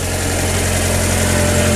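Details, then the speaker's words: Project car just started with a new battery after the old one gave trouble starting, left idling to warm up and checked for leaks: a steady, even hum with no knocks, misses or ticks, a healthy idle. "I'm going to let the car run right now and then and see if there's anything leaking let it heat up"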